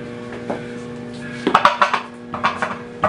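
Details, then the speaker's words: Kick scooter drop test after adjusting wheel play: each drop gives a short metallic clatter and jingle from the rear wheel, which needs more tightening. Rattle from a loose rear wheel. "So you can still hear a little bit of noise. Sounds like it's coming from the rear wheel."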